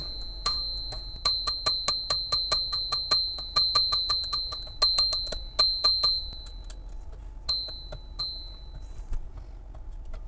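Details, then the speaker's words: Princess 300 typewriter margin bell after an alcohol flush of the pivot points: carriage ratchet ticks with a bell ding that sounds on some throws but not others; striker lacks momentum unless flicked sharply, bell still sticky. "and it's still not good if I give it a sharp flick it works but if I just do it gently and it's my my thumb slides off that top little kind of hook bit then it it's just doesn't have the momentum to get all the way there"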